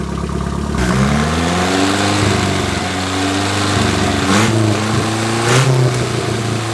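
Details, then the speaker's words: KA24E engine (from 1993 Nissan D21, about 230k miles) in turbo 240SX S13 after head gasket replacement, base timing reset: catches and settles, revs rise and fall smoothly, no knock or misfire; normal running and revving. "It was a little bit of a battle, but we got the timing set. We had to go back into the settings into micro spurt and reset base timing. It's all good now."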